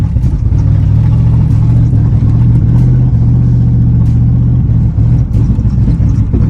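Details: 1995 Chevy Impala SS driving at night just after the engine was washed: the drone stumbles, sags and briefly cuts out. Misfire from water in the Opti-Spark distributor; it idles fine but acts up at operating temperature.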